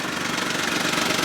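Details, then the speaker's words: Auction non-runner, after about 10 minutes of running and warm, half tank of fuel, no temp gauge: steady, even idle with smooth fast pulse, no knocks or rattles; still sounds great, normal warm idle. "still sounds great no weird rattles no nothing"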